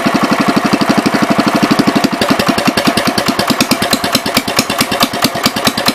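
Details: 1973 John Deere 110 single-cylinder: uneven, loping thumping with beats bunching and lagging. It is running with too much fuel, gas passing straight through the carb, and the owner suspects a hanging needle; cause unconfirmed.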